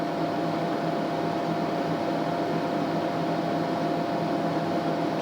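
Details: TDI Dynaload 100-300-2000 2 kW electronic load, reassembled after teardown and cleaning, low range, supply raised to about 20-40 V at micro-amp current: steady, even air rush with faint constant hum, no ticking or rubbing; cooling fans normal.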